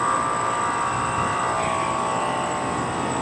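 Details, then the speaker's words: 2009 NuTone 24,000 BTU heat pump outdoor unit running: loud steady buzzing vibration full of ringing tones. Cause unknown. "okay anyone tell me what what causes the noise to make the new tone something like guys vibrating everywhere"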